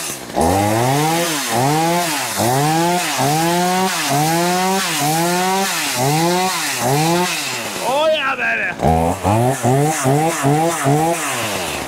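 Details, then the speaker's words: Poulan Pro two-stroke chainsaw, owned about 12 years, on 50:1 synthetic mix, cleaned up for a new season, with oil reaching the bar. Revs up and drops back about once a second, then rapid crisp blips: runs pretty good, healthy. "all right that seems to run pretty good not bad"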